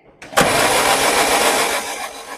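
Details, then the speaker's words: 2005 Peugeot 1007 1.6L 16V 109 hp that shook and lost power while driving, now won't start despite fuel, spark, timing belt intact, no stored faults; steady whirring crank that never catches, pointing to low compression. "आइए संक्षेप में कहें, ईंधन आ रहा है, चिंगारी आ रही है, टाइमिंग बेल्ट नहीं उछली है, त्रुटि मेमोरी पढ़ी गई है, कोई त्रुटि मौजूद नहीं है, सामान्य रूप से इंजन शुरू होना चाहिए"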